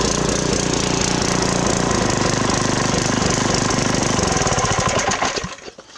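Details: Briggs & Stratton 2900 psi pressure washer after a carb cleaning for hard starting, low power and only running on choke: fast even single-cylinder putter, about 3.5 beats a second, until shut off. Slight surge off the trigger is common; it runs properly.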